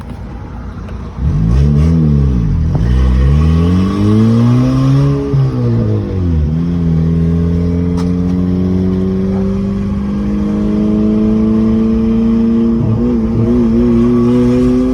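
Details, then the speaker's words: Modified 2011 Honda Accord Coupe with upgraded turbo, hard full-throttle pull: uneven stuttering note, mild misfire under boost felt especially in second gear; owner suspects it needs a retune after the turbo upgrade. "I feel this [ __ ] misfiring but it's not misfiring bad to the point like I can't really drive it"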